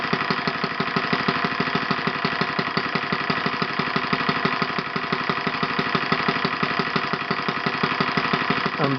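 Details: OS FS 120 PreSurpass four-stroke glow engine, bought used and rusty on eBay, test-run on a stand on 16% nitro fuel with a 16x6 prop. Slow, even putter at a steady low idle with every firing pulse clear and regular: normal low idle.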